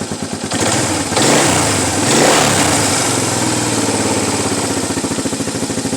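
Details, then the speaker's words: 1992 Suzuki LT230E Quad Runner single-cylinder after cam chain tensioner adjustment and oil change: steady putter near 200 beats a minute with a quick throttle blip, ticking gone, considerably quieter. "it is considerably quieter. I don't know if it's picking up on y'all's end, but it's considerably quieter."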